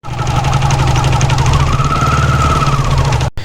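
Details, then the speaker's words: Honda CD100 / Pridor 100cc motorcycle, running in gear: steady hum whining over the engine, rising slightly under pull, absent when just started, caused by worn clutch box (primary) gears; fix is fitting new clutch box gears: gear whine. "अभी जो आपने गूंज की आवाज़ सुनी है, ये clutch box की गिरारी ख़राब होने की वजह से ही गूंज की आवाज़ आ रही है।"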